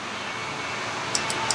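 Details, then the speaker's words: Old VW engine sitting unused eight years, ignition on before cranking, timing about two to three degrees advance: four light, sharp clicks over quiet hiss; carburetor idle cut-off solenoid pulling in and out normally. "and i can hear the solenoid pulling in and out so anyway so apparently that's working"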